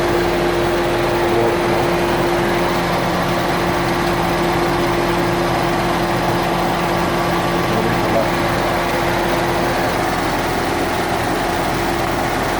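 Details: 2014 Ford Mustang 5.0L V8, 9,500 miles, idle: light steady ticking about three per second over smooth idle; dealership has not identified the cause, source unclear.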